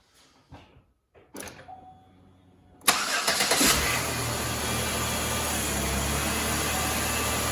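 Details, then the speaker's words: 2011 Chevrolet Impala 3.5L V6 after new AC Delco Iridium spark plugs: brief crank, catches at once and settles into smooth, even idle with no misses or knocks; normal start and idle. "Runs like a top."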